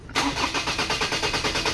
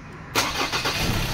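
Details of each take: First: 2003 Ford Ranger automatic, engine hot: steady fast cranking at about three compression beats a second for three seconds, never catching; long-crank hard start when hot, traced to a dirty cam sensor. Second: 2003 Ford Ranger automatic, hot restart after 45 minutes running: brief crank, engine catches at once and settles into an even beat; hard hot starting fixed by cleaning the camshaft sensor.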